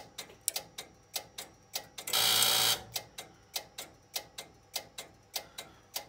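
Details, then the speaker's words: Strowger PABX exchange line troubleshooting: a call set up from a test set to the exchange line is ringing; crisp clicks about three a second from the AC ring detect relay, broken once by a short rushing burst as the finders hunt periodically. "so it's ringing there you hear it clicking you hear that when I'm over here and that clicking is corresponding to that AC relay which is the ring detect relay"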